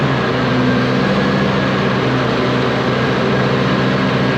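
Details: Low-hour (822 h) ex-US Army Cat D6R bulldozer diesel, bought inoperative, now running after repair: smooth, even, steady roar with no misses or knocks; engine shows zero blow-by, though a couple of hydraulic leaks were found.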